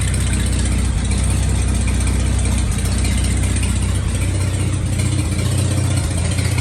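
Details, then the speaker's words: 1941 Dodge half-ton pickup's old six, first start after sitting 39 years, run off a 6V battery clipped on with a temporary fuel setup: low, steady idle with an even beat, no knocks or misses; ran about 10 minutes, running okay. "running okay well we just had a run in there for for probably 10 minutes"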